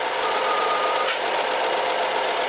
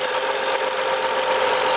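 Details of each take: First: 2011 BMW F07 5GT, 3.0 gasoline turbo, 277,000 km, running: a thin steady whistle over a hissing engine, worse after a hot restart in drive. It stops when the oil cap is opened; a torn membrane in the crankcase pressure-regulating valve is suspected. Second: 2011 BMW F07 5GT, 3.0 gasoline turbo engine, 277,000 km, which whistled when hot and in drive. After reassembly, the hot engine settles into a steady, even idle with no whistle or hiss; normal hot restart.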